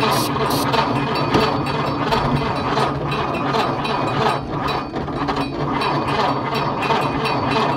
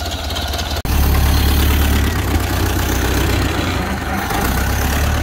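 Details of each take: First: Ford Model A off the road 65 years, 6-volt positive-ground system with fresh gas: fast, even starter clatter for ten seconds, never fires; wiring and dead coil suspected. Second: Ford Model A off the road 65 years, now running after ignition fixes: brief dropout then slow, deep, even four-cylinder putter, no knocking; healthy low idle.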